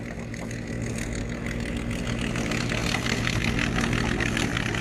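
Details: Etesia Bahia ride-on mower cutting grass and leaves: even engine drone with the cutting deck's rushing hiss on top, steady under load. Normal, healthy running.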